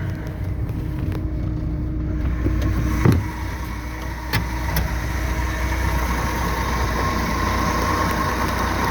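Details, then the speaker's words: 1967 Chevy G10 van with an aftermarket carburetor fitted about two years ago, already warm, so the unadjusted choke isn't fully working; smooth, even idle with no knocks or misses. "Let's fire it up. It's already warm, so the choke isn't working 100%."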